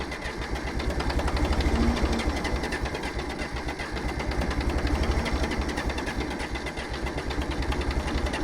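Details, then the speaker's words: John Deere 350B dozer that had sat for a long time, fitted with new fuel filters and a sediment bowl. The diesel chugs roughly at about four beats a second, surging and uneven, and runs only with ether; a fuel filter or pump problem is suspected. "now we got it running i'm embarrassed to say on ether enough to lift this blade it was like almost running off its own diesel fuel with just a width of ether"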